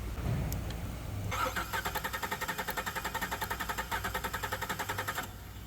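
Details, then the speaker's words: 2014 modded Corvette that started misfiring after an AFM delete was unplugged; cylinder two misfire history; swapping the coil moved nothing; plug was wet and smelled of fuel. Cranking compression test gives an even rhythm with every stroke alike, so compression is fine. "Compression is fine."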